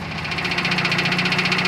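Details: Built 400hp Subaru Outback XT on quick jacks, intermittent noise over 2000 miles: sharp regular metallic knock about ten a second at idle; owner suspects front diff, not near the engine, flex plate not ruled out.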